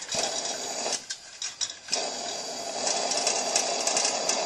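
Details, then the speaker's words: Coleman 625A pressure lantern run at full brightness and proper pressure, hissing with a quick, uneven light rattle: worn eccentric inside the valve assembly lets the generator rod clip play, and pressure makes it rattle; turned fully up it dims. "noise but what that noise is is the part where the generator Rod Clips on to The Eccentric inside the valve assembly has play in it and the pressure causes it to rattle"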